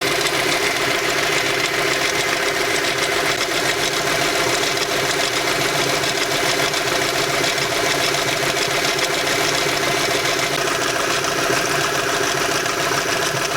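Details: VW Bora V5 at idle: steady idle with a busy, uneven metallic rattle riding over the engine; owner suspects a defective timing chain, unconfirmed.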